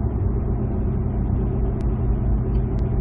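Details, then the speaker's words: 2007 Ford F-150 5.4L 3-valve V8 on a road test at about 45 mph, fourth gear, torque converter locked, slowly accelerating after the loose cylinder 2 spark plug was fixed: steady, even drone with no stumble, running smoothly. "that really stresses out the secondary ignition and everything looks good to go especially number two which we just fixed so that's fixed look at that nice and smooth"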